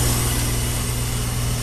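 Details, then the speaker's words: Fairly new high-efficiency XP5 heat pump with a bad reversing valve: steady low compressor hum with a constant airy hiss of refrigerant leaking through the valve; about 12° rise from suction line to compressor; valve to be replaced. "what we have here fairly new high efficiency xp5 that's got a bad revers"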